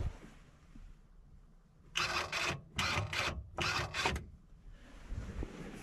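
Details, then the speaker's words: Bucket tilt actuator on a 1999 Bobcat 864 skid steer, cab open, key on: four short buzzing bursts with quiet gaps as the actuator runs normally. The other tilt direction stopped working; wiring or the AHC computer is suspected. "that sides working fine this side that weighs fine"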